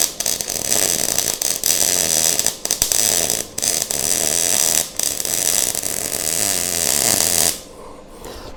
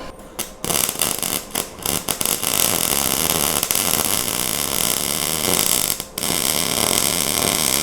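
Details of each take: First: MIG welding for a 1:8 scale GP40 locomotive project; steady crackling arc with frequent breaks and uneven sizzle, weld sounds and looks a little better but not perfect, welder then slows wire feed: uneven MIG weld sound. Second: MIG welding on 1:8 scale GP40 locomotive project after slowing the wire feed: steady even frying crackle without popping or sputtering; sounds and looks much better.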